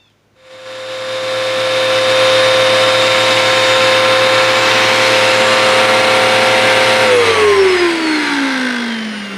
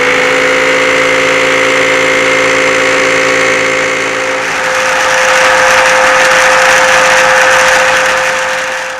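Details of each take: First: Hoover WindTunnel upright vacuum after its roller was replaced to cure a rattling noise. It spins up to a smooth, steady whine and airy rush, then winds down evenly with no rattle: normal running. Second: Hoover WindTunnel vacuum, not very old, running with a steady high whine, rushing air and a harsh fast rattle from the brush roller, though nothing is inside it; worn roller bearings, fixed by replacing the roller.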